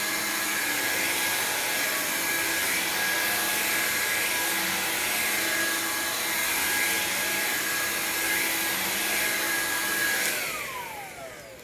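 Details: Black signature-variant upright vacuum, cleaned and secondhand: a steady, even high rushing whir from the motor and brush roll with no rattles or surging, winding down at shutoff. Its brush seems more aggressive than the non-signature variant's; healthy.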